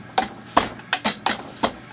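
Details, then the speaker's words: Zexel (Bosch) mechanical injector from a Kobelco SK160 excavator dormant about 17 years, on a pop tester: sharp irregular chattering pops, poor atomization with holes streaming, pop-off near 210 bar; injector needs rebuild. "same thing atomization is poor a couple of the holes are streaming"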